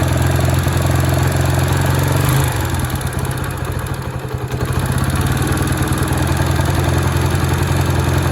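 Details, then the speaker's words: Honda Sonic single-cylinder motorcycle after top-end rebuild with new cylinder, piston and rings: loud metallic clatter, mild at low revs and much louder when revving; valve adjustment and cam chain checked, piston striking cylinder head. "จะดังมากในรอบที่เราเร่งเครื่องยนต์นะส่วนรอบต่ำนี่ก็ดังดังอยู่แต่ว่าดังดังไม่มากนัก"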